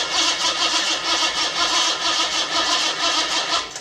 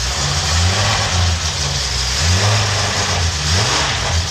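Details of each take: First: $50 L28 six (240Z) freshly rebuilt with chrome-moly rings and new bearings, first fire-up: catches and runs fast and uneven with light ticking on top, pointing to slightly loose tappets; good oil pressure, no smoke. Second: $50 L28 six (240Z) freshly rebuilt with chrome-moly rings and new bearings, first fire-up: catches and settles into a lumpy uneven idle with throttle blips, no knocks or rattles; good oil pressure, no smoke.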